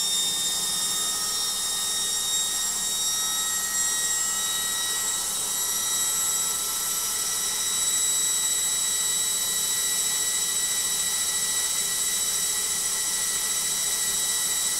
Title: LOGIK Washing Machine Final Spin NOISY